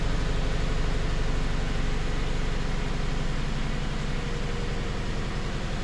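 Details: 2013 Subaru Impreza with a replacement engine after a timing failure, first start after the swap. Steady drone with an uneven, stumbling low pulse underneath. Massive misfire and heavy smoke, possibly burning oil.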